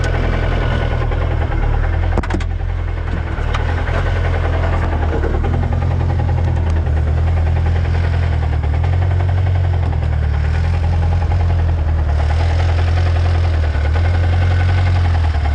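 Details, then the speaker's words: Lotus Exige race car engine idling after spinning its rod bearings on a track day: a deep, dull knock tapping under the rumble about three times a second, rod knock. "i blew it up that's the motor knocking you don't hear that i do yeah"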